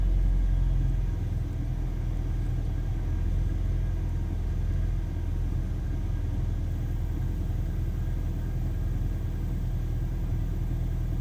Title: BMW E46 318i N46B20 Engine Sound at Cool Startup (MAF Problems)